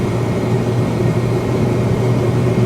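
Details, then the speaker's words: 2014 Kia Forte EX cruising at about 50–60 mph on cruise control, struggling to reach 60. A constant loud droning whine sits over the road noise, judged worse than a vacuum leak. The drivetrain source is undetermined. "I don't know man what is that it's hard to get it up to 60. I'm a little nervous okay cruise control is set I don't know man that sounds so bad that sounds so bad"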